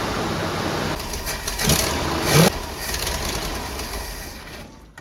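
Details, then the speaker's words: 1966 Ford Thunderbird, started with two-stroke fuel poured down the carb, surges unevenly as if starving for fuel. Lean stumble from a vacuum leak at the reused thick carb base gasket, confirmed with carb cleaner; a new gasket is planned. "Oh, it sounds like it's starving out of fuel. Really weird."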